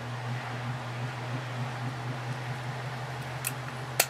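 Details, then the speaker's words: Antique Century ceiling fan after cleaning gummed lubrication and oiling shaft, running on medium then high: low smooth steady hum, no grinding or bearing noise; normal running. "and high this one is very smooth and quiet I don't even hear any bearing noise"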